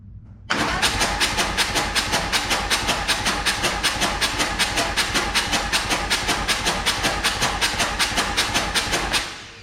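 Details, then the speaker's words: Harley Lowrider S with 131ci Stage IV kit after cam swap to Cycle-Rama 512: even starter whirr, compression-free pulses about 2.5 per second, cranking with plugs out to build oil pressure; plenty of oil pressure. "It's that quick. So she's got plenty of oil pressure. We'll get these plugs in and fire it up."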